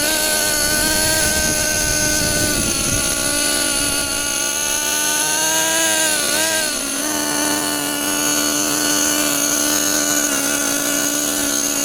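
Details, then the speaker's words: 2014 Losi XXL2 LST 1/8 gas truck, Dynamite 31cc gas two-stroke, brand-new first run: buzzy note holding steady, dipping and recovering once, blubbery and smoky; rich running from very rich carburettor setting, sounds like a nitro. "Yeah, these things the gearing obviously we have it very very rich right now, but it sounds honestly kind of like a nitro."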